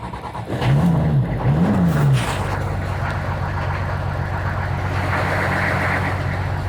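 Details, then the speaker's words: 1985 Chevy Celebrity diesel, cold start without glow plugs working, cranked until it catches: uneven catching and surging, then a steady low idle, getting smoky; hard cold start without glow plugs. "these cars will actually run if you crank them enough but as you can see it's getting smoky already but sounds good probably sounds better you know because it would stutter quite a bit"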